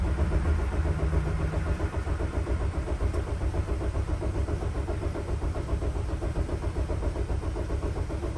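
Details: 2006 Dodge Sprinter, crankshaft position sensor fault blamed: steady even cranking about two and a half turns a second, never fires. Last try, battery 12.2 V; no fuel pump sound heard afterwards. Crank no start.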